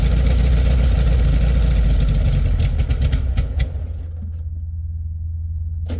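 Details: 1967 VW Beetle air-cooled flat-four just cold-started at about 8°F, battery a little low: fast, even cold idle, roughly three to four beats a second, no misses; healthy cold start, possible generator problem suspected.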